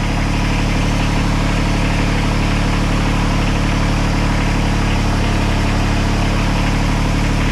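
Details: 2006 Kubota BX24 tractor loader backhoe with over 3,000 hours, just after a transmission input shaft leak repair, idling while warming up to check for leaks: even, smooth low diesel thrum with no knocks, misses or rattles; normal idle.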